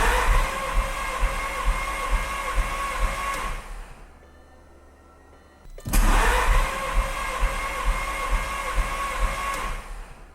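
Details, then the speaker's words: Compression test, all spark plugs removed, tester in first cylinder: even whirring crank with steady compression pulses about two per second, pause, then repeated; normal cranking, first cylinder read about 150 psi. "since we don't have any spark plugs in any of the cylinders the only compression being produced is in the cylinder that has the compression tester in it so we'll actually be able to hear the compression in the motor as we're turning over the motor"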